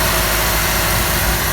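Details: Ford XR4Ti turbo, warming up with coolant circulating, no leaks from turbo water supply or water pump; previously overheated: steady, even idle, smooth low rumble, no knocks or ticks. Normal idle.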